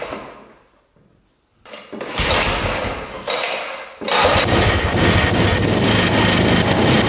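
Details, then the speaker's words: 1960s Ski Daddler snowmobile (about 1968), two-stroke, after priming fuel line: weak cranking tries, then ragged rattling buzz; won't stay running; owner suspects carb diaphragm bad or stiff needing gas, or tank fuel line too short. "yeah she's she's not staying running some guessing the diaphragm and the carb is either bad or just needs to be lubricated with some gas to get to uh to where it's flexible so I can pump"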